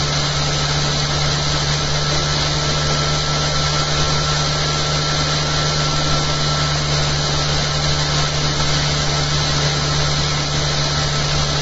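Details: After fitting a new eccentric bobbin and magnet holder and fixing the earlier rattle, the soft-start motor-driven rig runs smooth and quiet: a steady even hum with a faint high whine, and the motor's commutator is now audible. No knocks or rattles; normal running.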